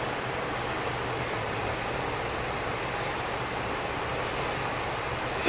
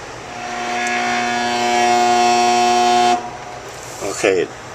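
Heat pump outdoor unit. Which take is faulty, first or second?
second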